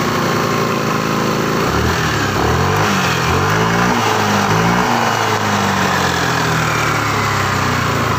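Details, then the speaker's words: Yamaha Lexi scooter after repair of a rough, growling CVT traced to the boss, reassembled and tested: steady engine hum, revs rising and falling smoothly, no growl or rattle from the belt drive; CVT noise fixed, normal. "Oke jadi permasalahan tadi itu bagian bosnya ya jadi suaranya mesin reaksi pada bagian CVT yang ada suara ngoroknya atau kotak-kotak di bagian belakang jadi Sudah teratasi"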